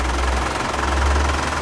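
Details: Steady low diesel idle with even, soft clatter and no loud knocking. Engine running after a fluid additive meant to quiet diesel engines was added, with a decibel meter measuring noise. Smooth, healthy idle.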